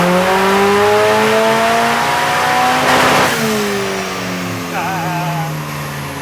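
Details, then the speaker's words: Turbo four-cylinder car (2Sexy) on the dyno after repairs, full-throttle logged run: strong, clean rising note with no misfire or stumble as revs climb, then easing off smoothly; a healthy run making 232 kW. "sounded pretty good man holy we just make 232 kilowatts we just smash twisted out of the park"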